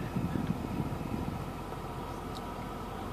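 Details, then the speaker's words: 1994 Mercedes E420 V8, warm after a short drive, idling at about 700 rpm with no warning lights: quiet, smooth, even idle, steady with no lope or miss; normal idle. "the RPM gauge is showing that it's running at about 700 RPMs, pretty steady. The car isn't loping"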